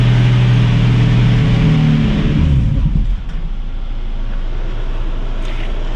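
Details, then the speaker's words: 1965 Mustang inline six (Iron 6): low, lumpy idle holds a couple of seconds, then revs sag and engine stalls; owner suspected vacuum leak thought fixed, idle mixture screw adjusted, fuel feed from sippy cup suspected. "So she's stalling on idle. I mentioned in the last video it had a vacuum leak. I thought it was a vacuum leak, thought I fixed it, but now it is really struggling to idle."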